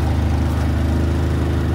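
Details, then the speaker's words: Harbor Freight Predator 3500W inverter generator cold-started at 6°F, idling on choke before switching to normal: low, steady, even thrum with no misses or knocks; running fine. "six switch from the choke to normal see it's running so"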